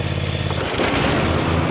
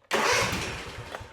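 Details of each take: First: Cub Cadet Ultima ZT1 zero-turn with 50-inch fabricated deck and Kawasaki 23 hp twin: the V-twin runs steady, then a broad rushing swell as the PTO lever is pulled and the blades spin up. The engine holds speed fine, normal. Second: Cub Cadet Ultima ZT1 50 zero-turn with Kawasaki twin-cylinder engine, 142.8 hours, 12.7 V battery: engine catches sharply, runs a brief uneven burst, then dies within a second; stall after start from too much choke, it needed little.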